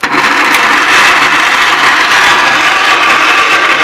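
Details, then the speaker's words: Gravely 810 tractor on a jump box, with a poor engine-to-transmission ground, spark confirmed and petrol primed: a constant high starter whir with no firing pulses. Battery power is suspected too low; cranks but does not start. "I should be at idle hopefully I ain't got enough battery power to crank it over now"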